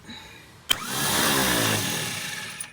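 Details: 1954 Chevrolet no-start: a sharp click, then a high free-spinning whir for about two seconds with no cranking; the starter drive isn't engaging the flywheel, starter later whacked to free it.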